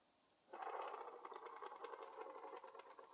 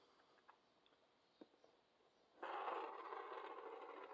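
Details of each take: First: HO slot car axle pushed slowly on a box that amplifies the sound: an uneven, rattling scrape with a repeating wobble each turn; the axle is bent and needs replacing. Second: HO slot car axle rolled slowly across a box to amplify the sound: a soft, even rolling hiss with no rhythmic wobble or thump; this is the straightest axle tested, running true.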